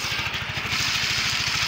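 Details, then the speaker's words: Yamaha Mio 125 (Mio M3) scooter after replacing the faulty cam chain (rantai keteng) that caused a rough "kempletek" engine noise: now even, steady idle pulses with no rattle or clatter, smooth again as expected. "Ya ini Pokoknya sudahudah jadi Sudah halus lagi e sesuai ekspektasi ya teman-teman ya pokoknya mantap"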